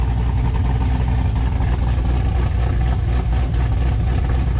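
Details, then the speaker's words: 6th-gen Camaro ZL1 with new cam, running only about 15 seconds, not broken in or at operating temperature and still needing tuning: loud, deep idle with uneven lope about four pulses per second; normal big-cam lope. "It hasn't broken in yet. We've only had it running for about 15 seconds maybe, and that's about it, you know? It's starting, you can hear the cam a little bit now."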